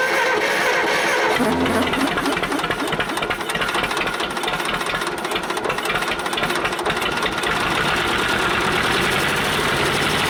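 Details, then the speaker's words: Cheap old Detroit two-stroke diesel dozer engine, sat with one cylinder full of water; rough, uneven stumbling beat: dead-cylinder misfire, running on only some cylinders, smokes and blows oil out the stack; owner plans honing while running with Bon Ami. "so now uh this motor is obviously hurt it's hurt bad uh it is running on three cylinders as as anybody who's heard it run can attest"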